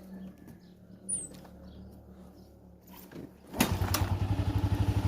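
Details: Itálica motorcycle that whines/hums when put in gear, before repair, idling in neutral: quiet, then the single catches and settles into a steady, even putter with no whine or knock.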